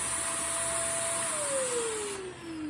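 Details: Shark vacuum during a suction diagnosis: steady mid-pitched motor whine over an even rush of air, then the pitch slides down as it spins down; the vacuum motor sounds healthy.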